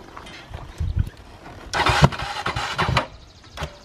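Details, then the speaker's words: 2006 Honda ATV, probably original starter, on the property hill climbs: a few firm, even cranking bursts with steady starter rhythm and no grinding or clicking; starter cranks normally. "I mean, it's a 2006, man. I that's probably the original starter. Right. Try it once, Code."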